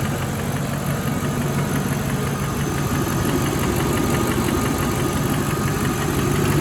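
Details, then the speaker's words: Mercedes E420 V8 partly warmed up after throttle body rebuild, idle and light revs: light ticking about three per second, much quieter than cold but still audible when revving; valvetrain tick, possibly a lifter. "Stop real quick. Huh. Definitely quieter, but definitely still hear it when it's revving. Much quieter though."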